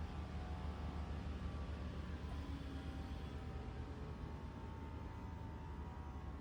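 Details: 2024 Toyota RAV4 SE in EV mode, fully charged, cold day, heater on: loud steady whirring whine with low pulsing thump from under left side of hood, no engine running; sounds like heat pump blades hitting something, whole-car vibration.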